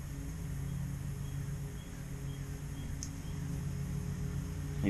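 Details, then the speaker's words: 1981 Suzuki GS650GL four-cylinder motorcycle, lightly warmed, idling after the carbs were rebuilt to cure a slight leak and refitted with pod filters: even, steady idle, no misses or knocks; it sounds good, but RPM is unknown because the tachometer doesn't work. "started her up uh no T still but she uh she sounds good problem is I don't know what RPMs we at because the tack doesn't work"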